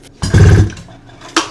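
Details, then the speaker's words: 600cc two-cylinder two-stroke snowmobile engine on go-kart frame, rebuilt after cracked cylinders, head and carbs just fitted; one hand pull gives strong deep chuffing push then a click; solid compression. "It pulls over, everything's good so far. What's good is there's definitely no lack of compression. As you can hear."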